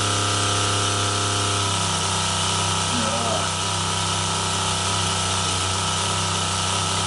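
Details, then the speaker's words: Boat water pressure pump rebuilt with new diaphragms: loud steady drone that shifts and stutters after a couple of seconds as it cuts in and out; short cycling, pressure drops off after shutoff, cause not known. "if we shut the sap it goes up to pressure and then drops off a bit not sure why it should do that but it does so if I now turn it on so it's cycling that's not good enough"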